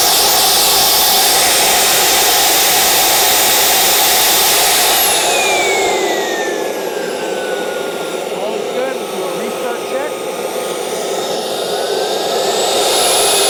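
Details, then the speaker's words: CARF Rebel Hot RC jet's newly installed turbine at half throttle during the test run, which the builder judged very good. A high whistling roar slides down and climbs back cleanly with throttle, holding steady. Normal turbine run. "we're at half throttle 8 9 10 11 12 very good engine ran awesome"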